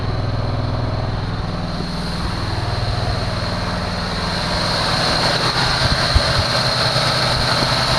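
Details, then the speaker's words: 1974 Chevy Nova V8, bought cheap and first start with fuel poured into the carburetor bowls: fast, busy idle that creeps up and never settles, heavy smoke; idle too high because the choke is still on. "why'd they crank it up like that i see it's the uh the choke is still on"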